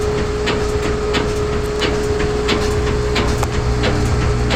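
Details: GE front-load washer on spin cycle with a medium or large load: heavy rhythmic thumps about every third of a second over a steady spin hum as the tub hits the cabinet; cause unknown to owner.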